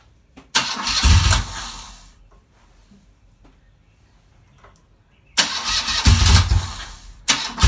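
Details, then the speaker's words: BMW R80 cafe racer twin, first start-up on old battery; catches promptly, even low idle, soft quiet exhaust note like originals, no misses or rattles; healthy start. "so as you can see as you can see is a runner fantastic it sounds sweet"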